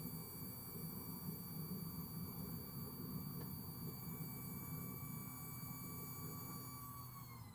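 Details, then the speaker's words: Skoda Octavia Mk3 diesel after fuel filter replacement, in-tank transfer fuel pump run via VCDS basic settings test to prime filter: steady faint electric whir and low hum, pitch dropping as the filter fills; normal priming. "just switch it on, and you hear it's pumping fuel from the back. You will hear it now, and as the sound of that goes lower, that means it's harder to work. That means the fuel filter is filling up, and just let it go for a bit."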